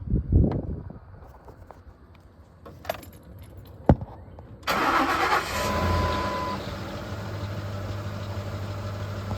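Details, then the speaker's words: 2005 Ford F150 XLT 5.4 Triton V8, 188,877 miles, cold start; timing chain and cam phasers redone about 10 years ago and due again: catches to a steady idle with metallic clatter on top, still rattly, source unconfirmed. "But it's still a pretty rattly truck. It ran real quiet for several years."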